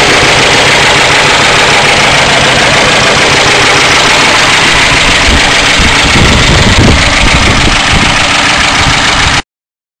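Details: 1992 Crown Victoria 4.6L V8 at idle: an even, busy ticking clatter at a few beats a second; source not pinned down, owner suspects low oil pressure and plans to replace the oil pump.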